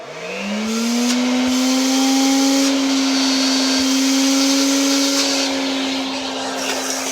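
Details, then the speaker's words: Old vacuum cleaner after repair with a t-shirt reusable bag liner replacing the failed bag: motor spins up to a steady even whine and holds smoothly; running normally, almost as good as new. "Give it another test run. And pretty much almost as good as new."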